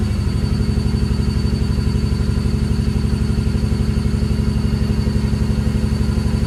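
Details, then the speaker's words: Ford Barra six-cylinder, just jump-started: fast, hurried exhaust pulse holding a rough, lumpy high idle near 2000 rpm though not cammed; intake manifold gasket vacuum leak pulling in extra air. "just running really really sort of rough and you'll be able to hear from the exhaust but the car is not cammed and it sounds like this. We've got a very high idle. You've got a high idle at nearly 2k."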